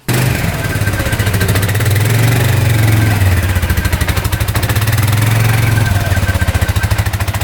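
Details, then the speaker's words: 2013 Polaris Sportsman 550 EFI EPS 4x4, written off by the dealer, after cleanup and with a switch disconnected: single-cylinder thumps along evenly with smooth throttle changes, no knocks or misses; all gears, reverse, high and low work, slight clutch squeak. "all right it's running pretty good so all the gears work reverse Works high low both work"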